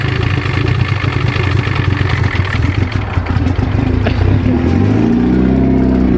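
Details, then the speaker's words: Turbo FRS, soaked from rain with oil found, restarted after earlier knocking: rough uneven clatter and heavy knock over a labouring engine that sags and stalls by itself, still smoking heavily; likely bottom-end damage. "Killed herself. Still sounds like shit. Still smokes like a mofo."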